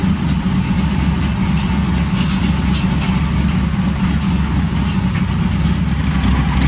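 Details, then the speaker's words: 335hp supercharged Ardun flathead V8 in a 1932 roadster, first fire-up after swap, cranked until oil pressure then magneto switched on: deep, steady lumpy idle with an even beat, no miss or knock; healthy. "we cranked it over until I had oil pressure hit the mag and we fire it up right away"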